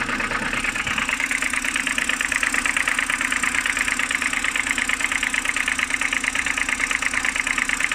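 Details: BMW N52B25, cold morning idle: sharp metallic tapping about 107 per minute, clear and regular, seemingly from the oil filter housing side; knock of unknown origin.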